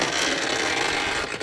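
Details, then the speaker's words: Porsche Boxster 986 Phase 2 passenger-side window regulator: a harsh, gritty grinding that rises and falls as the window moves. The window still works and Porsche advised leaving it until it fails; the owner bought a complete replacement regulator. "This is not a dramatic problem because the window goes up and down anyway."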